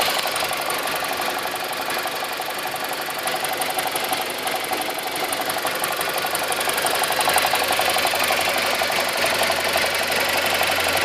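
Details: 2002 BMW 318i N42 engine at 128,000 km: steady, too-low idle with a fast, even metallic rattle about three per second throughout; source not pinned down.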